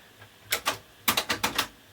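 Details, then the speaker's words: TEAC V-615 cassette deck, bought untested, grinding on arrival, powered up after replacing perished belts with the head locked in position; about seven sharp mechanical clicks in quick bursts as the head mechanism cycles and settles. Normal mechanism reset, smooth winding follows. "The head's all locked in position. If we turn it on, it should reset."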